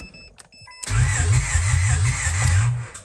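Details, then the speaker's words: 1996 Honda Odyssey RA1 with new plugs, wires and rotor: starter cranks evenly about two seconds without firing; fuel pump primes and relay clicks, getting fuel but no spark, distributor suspected. "So same thing, that did nothing. Getting fuel, it's just not getting spark."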